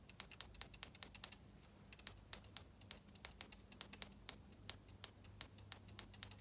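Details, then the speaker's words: 1990 Harley-Davidson EVO FLHTC with a no-spark problem, ignition coil powered on the bench. Crisp, sharp snaps in quick irregular bursts give a fat spark, so the coil works. Ignition module now suspected. "so the coils the coils make them spark this coil is working it's leaning more and more towards that ignition module"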